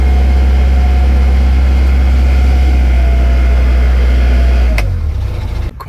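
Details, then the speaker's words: Narrowboat diesel at full throttle on the river Thames: a deep, steady drone with a rough, regular rattling beat about four a second, then the revs drop away. Source of the rattle unclear. "Full Throttle it's not very nice noise"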